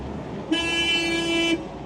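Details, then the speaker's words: WWII Volkswagen Schwimmwagen after engine repair: a single flat horn tone holds steady for about a second at constant pitch, the horn stuck on until disconnected; stuck horn. "the horns got stuck it's a horny swimmer oh no of all the things that can happen right there we go I've disconnected I'll try again"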